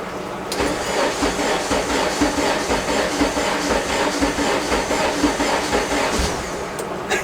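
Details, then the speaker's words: Integra after sitting about three months, right-hand-drive conversion and rewiring: starter churns at a steady two beats a second for several seconds before catching; long crank, owner suspects a weak fuel pump. "It's been sitting for like 3 months. Give her a sec. She can do it."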